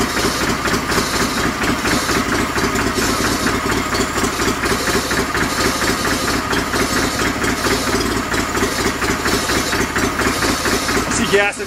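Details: 49-year-old John Deere 318 garden tractor after sitting, old gas evaporated: uneven, lumpy running about two beats a second, stumbling and picking up, living on squirted fuel until the line primes; fuel starvation.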